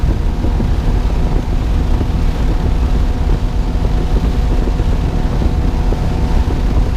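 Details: 1999 Johnson 200 HP outboard (J200PLEEB) running underway through chop after replacing the SystemCheck fuel-flow vacuum switch blamed for false check-engine alarms in chop; deep, steady drone with hull thump, no hunting, no check-engine light or warning tone.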